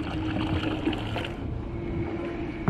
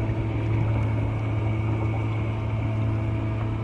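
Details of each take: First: 12V 3A bilge pump on kayak, run from 12V 1.3Ah lithium battery: steady motor hum with splashy gurgling that thins out as water shifts forward and the pump loses suction, sucking air until the paddler leans back. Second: 12V 3A bilge pump on a kayak, run from a 12V 1.3Ah lithium battery, water shifted aft so it reaches the pump: steady, even electric hum until cutoff; pump running normally, moving water.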